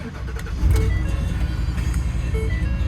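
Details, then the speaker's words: 2023 Ford F250 with 79,000 miles, auction lot 536A: quick crank, then the engine catches into a deep, steady diesel rumble with no knocks or misses; sounds really good; normal start and idle. "This is a nice truck, man. Probably going to go for a nice price, but it sounds really good."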